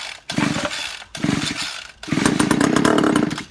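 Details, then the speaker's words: Homelite 26cc strimmer (Homelite 3050) found in a skip, won't start, choke in middle, given starting fluid: three short bursts of two-stroke firing, each dying within a second; spark is good, fuel system fault. "So I now know that that thing has got a spark and it's going to run. Now I know that the reason It's a fuel system problem here."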